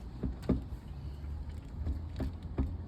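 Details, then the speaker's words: Motorcycle rear wheel spun by hand: dull, uneven knocks from a failed rear wheel bearing (three bearings in this wheel, all being replaced); failure shows as uneven rustling or, here, knocking, a critical stage. "Подобная поломка проявляет себя либо шорханнем неравномерным, либо стуками, как в данном случае."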